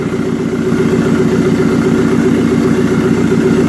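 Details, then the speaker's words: Jeep Cherokee after replacing a faulty secondhand crankshaft sensor that caused a no-start: now running with a smooth, steady, even idle and no misses, though somewhat smoky. Crank waveform now good. Normal idle. "okay so we have it up and running"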